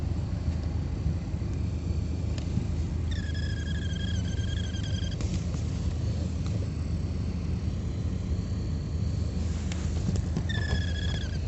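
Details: 2016 Alfa Romeo Giulia, under glovebox: soft whirring with intermittent high chirps from the cabin blower motor; occurs after sitting hours in cold dry weather, quieter in rain, stops after minutes of driving as motor warms.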